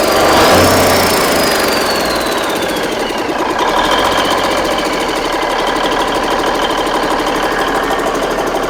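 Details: Big Cam Cummins NTC 365 diesel: starter cranking, then catches into steady even run about three knocks a second, no misses, no smoke; runs healthy.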